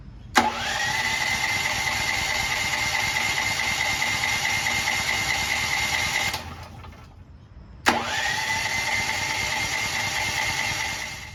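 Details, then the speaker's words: New Firman T07573 tri-fuel portable generator, selector switched from propane to gasoline, tank barely filled: two long bursts of electric cranking, no firing; cranks but won't start, low fuel suspected. "perhaps we just haven't used enough fuel to get this thing going"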